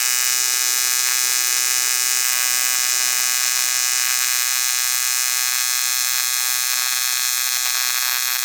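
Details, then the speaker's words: ARCCAPTAIN 200P AC/DC TIG in AC on dirty aluminum, Scotch-Brite cleaned, 4043 filler, first strike before balance and frequency adjustment: harsh steady high buzz with rough crackly edge; erratic arc from contaminated aluminum. "It is kind of dirty, so that's obviously not like the best thing in general."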